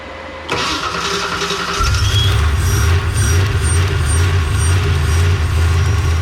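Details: V8 (Calypso clone) on Terminator X after fixing vacuum leak and timing; earlier sluggish starts and backfire: short crank, then catches cleanly with no backfire and settles into a strong, even, lumpy idle. Starting healthy.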